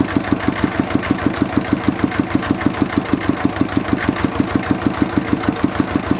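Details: Mitsubishi D-series single-cylinder diesel idling after repair of fuel leaking into the oil sump and white smoke (pump plunger, valve and seal replaced): steady, even thump-thump with no misses or knocks; runs smoothly.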